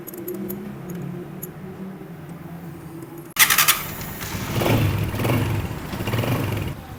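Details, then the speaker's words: Old-model Honda CG 125 idling after tappet adjustment to spec: low quiet idle with no tapping from the top end, then a few throttle blips; tappets correctly set. "अब यह bike इस वक्त start है टपट की जो आवाज है बिल्कुल ना होने के बराबर ही है"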